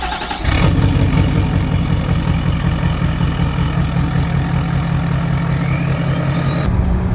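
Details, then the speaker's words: Nissan Titan XD diesel whose turbo randomly cuts out, driven after cleaning, since owner suspects a dirty part or a bad sensor: a deep steady drone and a clean whistle climbing as it pulls, no hard shifts. Turbo spools normally. "so the turbo sounds good no hard shifts so far uh that'd be really cool if that completely cleared it fine"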